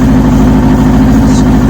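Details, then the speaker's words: Kawasaki ZX6-R 'Kermit' after the fuel filter was refitted the correct way round: fast, even idle, all four cylinders running with no skips and no longer hanging; crisp and healthy. "all four running it's not hanging anymore happy with kermit"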